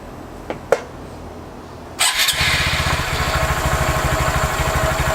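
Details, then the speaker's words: Honda Grom just after Chimera intake install: couple of clicks, then the small single fires and settles to an even, noticeably deeper idle thumping about three times a second; runs healthy. "So, I don't know if you guys can hear it, but listen to this. It sounds so much deeper."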